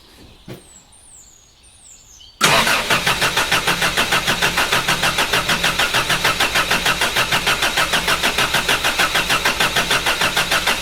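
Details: Toyota Hilux, first crank since body swap, fuel likely low or evaporated: starter cranks evenly at about three compression beats a second for eight seconds, never catches; cause suspected, not confirmed.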